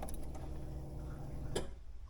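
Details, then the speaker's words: D16-swapped Honda Integra, key forward with new wiring harness and relay: soft low hum about a second and a half then a click; normal fuel pump prime, ECU light on, relay working. "all right I heard the fuel pump the ECU light is on and I'm going to prime it one more time just to make sure"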